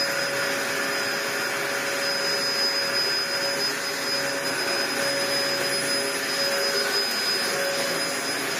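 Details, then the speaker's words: Dyson DC01 upright vacuum built June 1998, about 25 years old, after refitting the original base plate inner: steady, even motor whoosh and constant high whine with no binding. It now runs fine and pivots smoothly. "Well, I think it's working fine."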